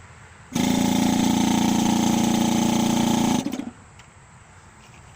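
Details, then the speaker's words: Electric brake-booster vacuum assist pump running with its muffler removed (open exhaust): loud, steady, fast-pulsing buzz, then cutoff; normal operation, only slightly louder than with the muffler fitted. "it does help a little bit I won't say that it's a huge I won't say it's a huge difference but it sounds like it helps"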